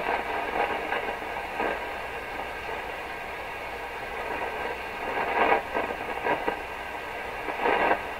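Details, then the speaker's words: Rogers 11RA651 shortwave radio after its paper/wax capacitors were replaced, volume up with the speaker unsealed: a constant hiss and roar with soft crackly swells and no program. Possibly from tube pins heating; the source is not pinned down. "It's pretty noise free right now though, except for the hiss, the roar."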